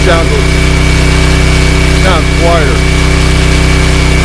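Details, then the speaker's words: ETQ cheap Chinese portable diesel generator: steady even diesel drone, smooth low thump, no knock or rattle, quieter and less mechanical; normal running. "it's noisy but it sounds less mechanical this sounds a little quieter"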